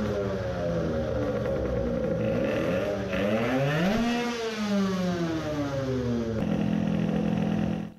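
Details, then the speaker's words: Two-stroke moped (2021 build, self-cast cylinder, targeting 20 hp) after MSV change: blips sluggishly, pitch climbing slowly and sagging back without crisp pickup; owner says it is again running rich, poor revving. "does it rev any better? it is again rich. the mind of the carburetor has changed."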